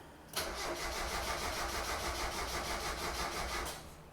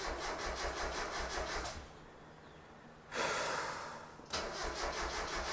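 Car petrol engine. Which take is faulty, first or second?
first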